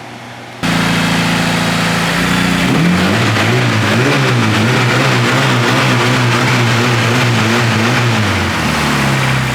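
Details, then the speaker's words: Honda K-series engine swapped into a Nissan S14, first start-up after one heat cycle: catches and settles into a busy idle with light quick valvetrain ticking, head not yet getting full oil. "not bad the head is still a little noisy right we still gotta get some oil falling through it"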